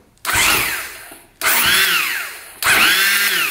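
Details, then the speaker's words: 2001 Husaberg 500 Supermoto (400 with a 500 engine swapped in), sitting 15 years: three short electric-starter bursts, each a whine rising then sagging with no firing; the starter spins without engaging, grabbing only occasionally. "Oh, there's electric start. Yeah, it's not grabbing anything."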